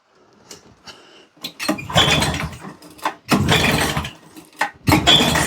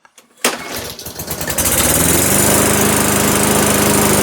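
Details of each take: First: Old auction lawnmower pull-started on the floor: five rough bursts about two seconds apart, each coughing briefly and dying, with smoke; it tries to fire but won't run. The owner suspects a jet is missing from the carb. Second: Self-propelled auction mower, started cold after a dozen primer presses: a few pulls, brief stumble, then a steady, even single-cylinder run. Healthy first start, drive working.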